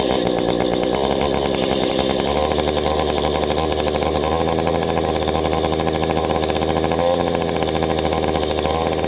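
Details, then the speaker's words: Warmed-up two-stroke chainsaw having its carburetor adjusted by ear: a steady buzz lifts and holds higher as the screw reaches the sweet spot, revs staying up cleanly, showing the mixture is correctly adjusted. "okay now once you make your adjustment you hear that sweet spot i revved up we kept her up there"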